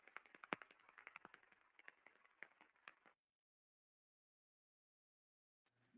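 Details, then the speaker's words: Rolling bearing with a defect heard through an SDT ultrasound airborne sensor; sharp ticks several per second, uneven and fading out, repetitive impacting from the damaged bearing. "you can easily hear the impact the repetitive impacting with the Airborne sensor"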